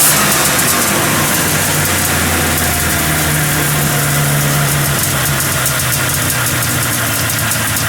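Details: 503 Safari snowmobile running after work, new exhaust exit hole: steady, even two-stroke idle with a smooth low burble and no knocks or misses; sounds healthy and settled.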